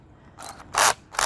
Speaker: You might hear that weird noise. That's okay. That just means that it's locking in.